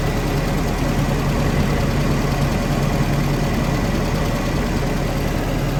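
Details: Willys-powered 120/240V 52 A Army skid generator, no load, good oil pressure, coolant low: low steady rumble at even speed, no misfires or knocking, no smoke; normal running.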